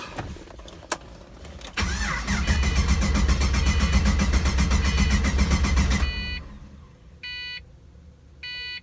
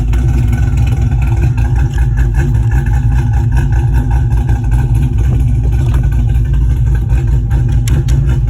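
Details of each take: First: Pontiac GTO after dropping a fuel pump into the tank: pump heard running for about four seconds of steady fast starter cranking with no catch, then chimes; gauge shows no fuel pressure, crank no start, pump not delivering fuel. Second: Pontiac GTO after fuel fix, old pump reinstalled through the regulator, 50 psi fuel pressure, about 10 minutes running: deep steady idle, even rumble, no stumbles or surging; normal idle, previously shut off after 5–10 minutes.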